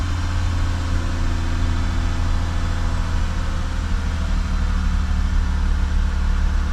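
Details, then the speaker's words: Lexus 3.5L V6 (2GR) cold start after throttle body cleaning and a battery disconnect. Smooth, steady hum at a slightly raised idle with no misfire, which the owner thinks may be due to the cold start. "so as you guys saw um when I started take car the RP PM was like kind of high maybe because it it was a cold start"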